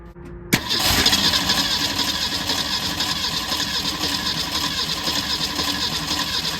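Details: 1964 Ford Falcon wagon, sat 46 years, cranking after a new fuel line with built-in filter was fitted: click then steady fast starter spin, engine never catches, no fuel reaching the filter; pump likely not drawing from the tank.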